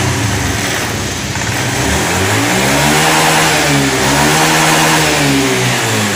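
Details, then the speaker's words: Honda Scoopy ESP FI automatic after tank cleaning, running on its fuel pump at 30 pressure; revs climb and fall cleanly, stable, no bogging or hesitation; now stable, not ngempos. "Oke, baiklah teman-teman. Motor di sini sudah menyala dan stabil, tidak ngempos."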